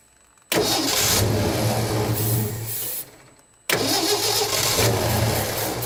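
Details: 1967 Ford F-100 with 240 engine, first start after 30+ years, low on fuel, carburetor likely gummed and leaking at the accelerator pump: catches twice, runs unevenly, sags, dies and refires; rough running, owner suspects fuel delivery.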